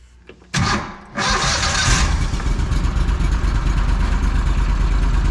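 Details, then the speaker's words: Argo ATV engine start and idle after fixing a throttle cable sticking open (throttle handle pushed on too far, pulled back just under a quarter inch): quick crank, catches, drops back to a steady even idle; throttle returns properly, normal. "one little adjustment a couple of screws five minutes at a time and it's fixed"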